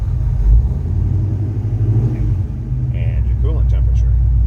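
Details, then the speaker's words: 1969 Chevrolet C10 with bored-out 454 V8, 2913 miles, engine and trans recently gone through: deep, even rumble idling under 1000 rpm, no knocks or misses; healthy idle. "you can see how nice that idles under a thousand rpms nice little rumble to it"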